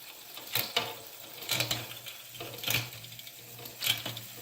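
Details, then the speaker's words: Fuji SL road bike with 12-speed Shimano Ultegra Di2, rear derailleur just indexed, shifting up to the highest gear: crisp single shift clicks about once a second, brief chain settle, no rubbing; normal indexed shifting. "Okay, so this should be perfectly indexed. Let's try it out. Okay, highest gear, all the way up."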